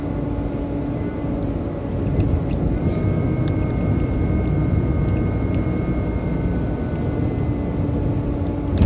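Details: BMW 120i E87 at idle: a steady, motor-like high whine holds its pitch over the rumble. The oil change did not fix it, and the owner suspects it comes from behind the air cleaner box. Cause unknown.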